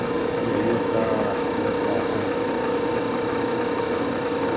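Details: Industrial mixer after a damaged gear was replaced: steady, even motor hum with mid-pitched whine, running smoothly with no knocking or grinding; run on the middle speed setting.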